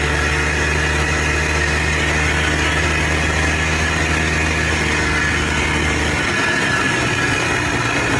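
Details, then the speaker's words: Polaris Trail Boss 250 4x4 ATV rescued from the scrap yard, previously wouldn't fire on spray; after choke and throttle it runs, steady even two-stroke drone for six seconds then picks up as it pulls away; runs and drives normally. "All righty, guys. She does run. She does drive."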